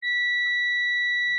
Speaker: Okay, let's see if we can do it with two crocodile clips. So, there's continuity between that pin and this pin.